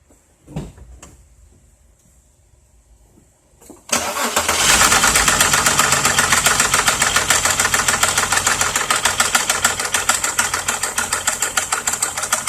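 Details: 2001 VW Jetta VR6: cranks, catches and runs with a steady knock about three times a second from inside the motor, not the shifter rod; owner suspects bent valve or piston, crankshaft sensor code shown, unconfirmed.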